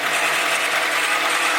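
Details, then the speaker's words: Honda CR-V at steady idle after timing belt replacement: continuous high, gritty whir with a rattly edge, not from the engine itself; owner suspects a bad pulley or the power steering pump run dry after the top line was removed and fluid leaked out. "completely ran out of power steering. So maybe it's that. Because, you know, when you take off the power, I took off the power steering line, the top one, and it just all leaked out."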